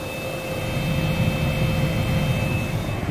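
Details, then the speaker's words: 2007 Toyota Avalon after replacing the blower motor, with the engine running and the AC on: a steady rush of air with a constant faint fan whine and no surging or hesitation. The new blower operates normally. "it's blowing so it is blowing how it's supposed to blow no hesitation"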